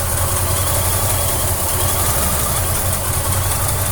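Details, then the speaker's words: Holden 202 Torana, supercharged, cold start just after fitting a copper inlet manifold gasket to fix a manifold leak: deep even idle with faint supercharger whine, running nicely, hunting slightly. "you can hear the nice little sac of the supercharger now"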